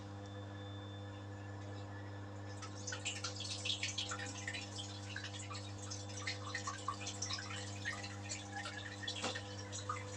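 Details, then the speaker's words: Samsung washing machine during service, water added manually, running spin cycle with door locked: steady drum motor hum with irregular drips and splashes as water leaks during spin. "So I've noticed that the water is coming here."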